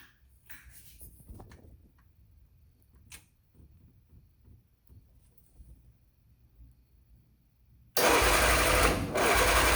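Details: 1972 MG Midget engine with a light, uneven clatter that stumbles irregularly, a misfire while trying to get the car running.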